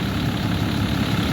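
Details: 2012 Ram 3500 6.7 Cummins diesel at idle after replacing a water pump with a loose, rough pulley and a broken belt: low, even clatter, steady idle, no squeal, knock or hunting, no leaks, running cool.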